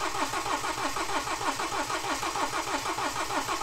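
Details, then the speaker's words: BMW N47 diesel refitted after broken timing chain repair, drained fuel system and empty pump: steady even cranking about 160 pulses a minute without firing while fuel refills, starter rested between attempts; extended crank, no start. "now we' emptied all of that out the pump was empty so we just keep it cranking keep it cranking and hopefully eventually it will clear and it will kick in"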